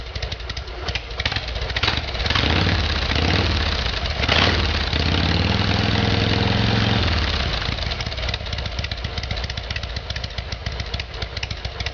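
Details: Harley Evolution Sportster with a replacement engine, after a carburettor fix. Cold start on choke: revs rise, then settle into a steady, even V-twin idle without misses.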